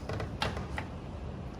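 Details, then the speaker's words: 1995 Sea-Doo XP jetski with 717 engine, freshly installed in a basket-case hull, on a test battery: sharp dry clicks at each key turn, no cranking, as though the solenoid is kicking on; starter was bench-tested good beforehand; cause not yet found. "Okay, we're getting just a clicking sound as though the solenoid is kicking on."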